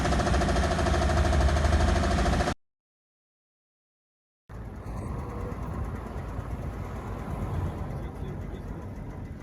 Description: Причина была в изношенном вкладыше 5 цилиндра.